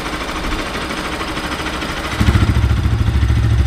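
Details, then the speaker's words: Bajaj NS200 single after top-end work on the head to fix timing-chain tick: even, steady idle with a loud exhaust and no ticking; the timing-chain noise is gone, the engine sounds healthy. "अभी थोड़ा सा sound कम हो गया है टपट की आवाज नहीं थी टाइमिंग चेन की जो आवाज आ रही थी वो चली गई है"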